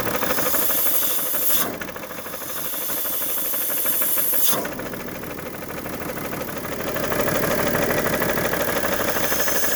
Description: I Bought this car like this and it has a bad knocking sound and smokes pretty bad ..Not sure where the knock is comming from...but it sounds bad ..